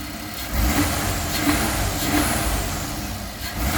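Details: 1999 GMC Safari 4.3 V6 Vortec idling and blipping, with a hissy sucking air noise that swells with revs. It starts and runs fine but averages about 11.7 mpg, with no codes. Carb cleaner spray gave no idle change, so the vacuum/intake leak is suspected, unconfirmed.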